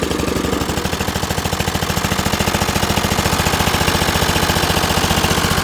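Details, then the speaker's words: Dixon ZTR Kodiak SE mower first start after charging: starts fast but idles very loud with harsh rapid popping pulses, rougher than a muffled exhaust; exhaust leak suspected. "But I mean it came to life fast. It is loud. Sounds like I got an exhaust leak."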